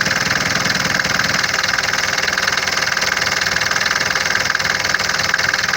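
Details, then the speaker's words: Mercedes 601 diesel, cold idle after a Lavr engine flush and oil change, steady light ticking about four a second; knock first appeared on cold starts after low oil level; suspected hydraulic lifters, later replaced. "все равно какой-то стук есть, не могу понять, то ли гидрики, то ли что."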